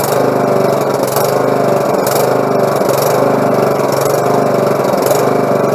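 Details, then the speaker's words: Husqvarna lawn mower after carburetor clean and repair (fuel had been leaking through the carb into the exhaust): small single-cylinder engine runs at a steady, even speed with no misses, surging or knocks; fixed. "everything's fixed everything's running you're ain't gonna have no more problems out of it"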